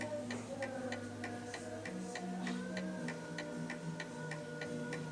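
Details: Antique 1920 Napoleon hat mantle clock on a level surface, pendulum calibrated left or right: crisp, evenly spaced ticks about three a second under faint background music; the clock is in beat and running steadily.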